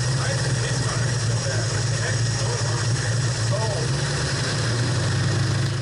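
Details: 1968/69 Ford Torino GT 390 FE V8 at idle after distributor plate removed and reinstalled (dwell possibly off); uneven loping idle, sounds like a valve problem, cause unconfirmed; later timing being worked on and accelerator pump primed.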